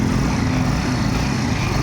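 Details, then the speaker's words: Kawasaki Barako 175 idling after replacing the carburetor whose piston/slide was rattling: steady even low idle with smooth rhythm, no tapping or rattling; engine now quiet and healthy. "Ayun o, tahimik na o. Ayan mga brothers. Ayan mga brothers, tahimik o."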